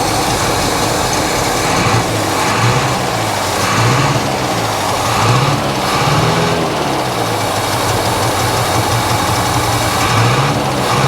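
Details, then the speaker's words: 1964 International service truck, possibly 304 V8, low oil pressure: uneven, lumpy, very low idle with missing pulses every second or so, running on about four cylinders; needs tune-up, cause unconfirmed. "it's definitely not happy guys and it could probably use a tuneup but let's give it one more try see if it'll clear up a little bit almost sounds like a hit and miss motor definitely running on like four cylinders"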